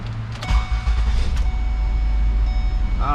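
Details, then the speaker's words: A 300,000-mile petrol truck engine starts after the taped intake boot was replaced and the MAF/intake-temperature sensor plugged back in. It cranks, catches quickly and idles smoothly, with the earlier backfiring gone. "much better. Let's go check on that backfiring sound that it made. I don't hear it. Good as new."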